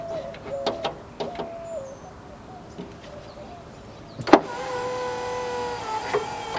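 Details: Porsche Boxster window after regulator replacement and glass refitted in the clamps: a few clicks, then a smooth steady motor whir for about a second and a half as the glass rises, no grinding or binding; window works properly.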